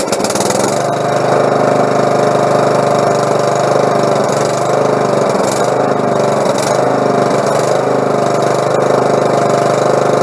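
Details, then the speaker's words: Husqvarna lawn mower after carburetor cleaning (fuel had been passing through the carb into the exhaust, trash in the carb suspected): starts right up and runs steady and even at fast idle, no misses or surging; some smoke from drained gas burning off. "but i mean what i've been it took me 20 minutes and uh the motor starts right up"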